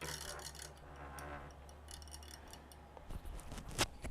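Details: Model F1202512 SM 12 V DC, 0.2 A computer fan: steady hum with irregular light ticks, vibrating badly from a worn sleeve bearing/bushing. Short-term fix: disassemble and oil the bushing.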